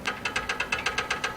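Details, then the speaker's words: VW Beetle-based MG kit car, air-cooled, revived after about 5 years, engine off during valve adjustment: crisp metallic clacks as the rocker is rocked by hand; intake four valve lash far too loose, suspected cause of the runnability issue. "And I don't know if you can hear this, but intake four really loose. I think that was the runnability issue."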